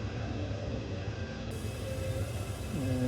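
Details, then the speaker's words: Gas water heater relit after draining and flushing, pilot lit and control turned on: low rumble swells as the burner catches, then settles into an even roar; lights cleanly. "I can hear it fire up it's"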